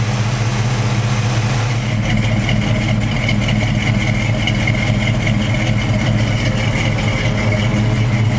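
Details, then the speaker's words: Warm 1991 Chevy K5 Blazer V8 with working choke and high idle circuit: deep, smooth burble settling from fast idle to a steady low idle after being idled down, no knocks or misfires; normal idle. "Like I said, the choke works, the high idle circuit works, everything works. See, he just idled it down."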